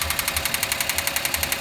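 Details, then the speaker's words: Engine idling after adding Motor Up oil additive for an abnormal noise; sharp regular metallic ticking knock about ten a second over steady idle; owner suspects a worn bearing (metal), additive didn't help. "多分これメタルねえぜ、きっと俺は。"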